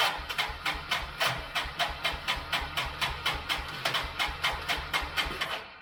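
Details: 1999 Yamaha Bear Tracker 250 ATV, sat for a while with suspected bad gas, cranking on full choke: labored cranking at about four sharp clacks per second, uneven and harsh, never catching; starter sounds weak and rough; starter clutch later inspected.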